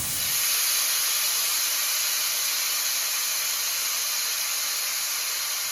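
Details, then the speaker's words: Eastwood QST 30/60 air compressor, unloader bleed fitting venting before a muffler was fitted: a loud, steady, high-pitched air hiss with a thin whistle on top. "So I'll give you guys an example of what it sounded like before the muffler."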